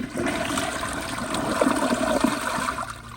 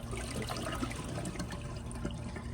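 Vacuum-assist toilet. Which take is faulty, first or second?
second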